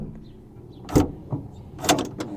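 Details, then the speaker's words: 2012 Honda Pilot EX rear hatch glass lock actuator (OEM 74811-SZA-A01), tested with the exterior license-plate button: two sharp short clicks about a second apart; the working actuator clicks, while the broken one made no click. "So, if it's in working order, that's what it should do. You hear that click. And then the broken one, we weren't hearing that click."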